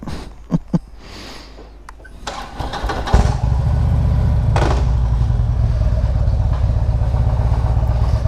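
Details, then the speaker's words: 2016 Harley Limited: after handling clatter it fires and settles into a deep, steady rumble with no compensator noise; normal idle after cold start, left to settle before engaging gear. "Gotta let them settle down a little bit before you put them in gear. They make a lot of noise."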